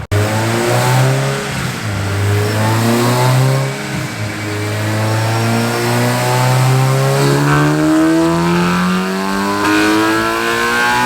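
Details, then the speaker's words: Engine on final dyno pull after map cleanup eliminated the top-end misfire: strong, even rising note with no stutter, sounds healthy; tuner suspects one injector leaking fuel on decel causing a slight stumble, and header airflow is short. "we got rid of that misfire at the end also we cleaned up the map but sounds really really healthy guys really healthy"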